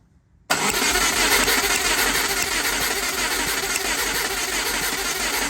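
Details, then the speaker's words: 1997 Subaru Impreza with 2004 WRX EJ205 turbo swap, compression test, cranking with no firing: steady fast churn; passenger-side bank cylinders both low, this one about 70, roughly half the driver side; owner suspected bent valves or ringland failure. "oh it actually isn't good bank one or two I don't know passenger side both low this one's at about 70"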